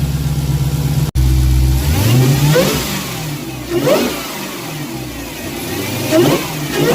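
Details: Dodge Hellcat supercharged V8 after fitting a K&N drop-in air filter in place of the stock one: revs climbing and dropping with a thin supercharger whine following the throttle; sounds healthy.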